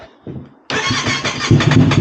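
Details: Heavily modified Aprilia RS660 with the throttle playing up and no fault codes shown: quiet, then the starter catches and the engine fires with a lumpy, surging beat and will not settle into an idle; traced to a loose throttle connector.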